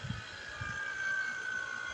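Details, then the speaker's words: 2008 Honda Accord 3.5L EX after AC compressor replacement, with a vacuum pump connected to the AC system. A quiet, steady high whine sags slightly in pitch as the gauge valves open and it starts evacuating the system. Normal vacuum pump operation. "You hear the pump change. Now it's sucking out all the air out the system."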